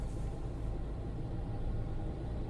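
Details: Tata Altroz 3-cylinder naturally aspirated petrol while driving: steady low drone with a faint buzzy rattle from the left side, holding even with speed; owner attributes it to air filter box resonance.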